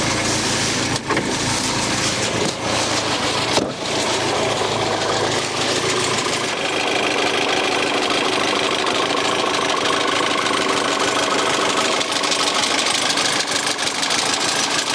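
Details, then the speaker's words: Freshly restored 1971 Ford Escort Mexico four-door prototype, stationary in the yard, settling after revs into an even, steady idle with no knocks or misses; sounds healthy. "well although I can't drive it around I can crank it over and hear the thing Raw wow"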